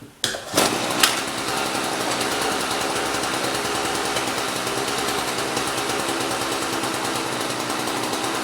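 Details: Small two-stroke equipment being winterized, fuel line shut off, run to empty the carb: after a few pulls it catches and settles into a steady, high buzzing run on its last fuel; normal running.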